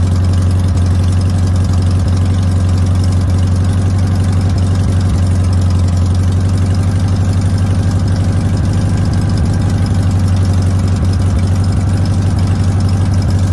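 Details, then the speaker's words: Air-cooled VW Notchback after sitting since 2020, carburetor rebuilt (32 PHN-1, accelerator pump part unavailable): fast, slightly ragged idle at about four pulses a second; idle deliberately set high, engine running poorly. "so one of the problems with these old 32 phn one is you can't get an accelerator pump or the uh piece for it so get up there i have the idle set kind of high"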